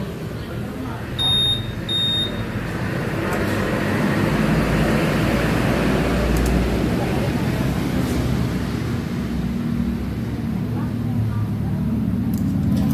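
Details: Honda Vario 150 scooter: the starter engages. The engine catches and settles into a steady, even low idle with no misses or knocks. Normal start and idle.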